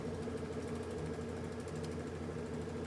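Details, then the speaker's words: High-pressure aeroponic system pump filling the accumulator tank to about 40 psi after air was bled off, solenoid now unplugged: low, quiet, even hum with soft steady pulsing and no knocks or rattles; running normally. "notice how quiet it is and the solenoids over there i had the solenoid still plugged in before so that was what was going off"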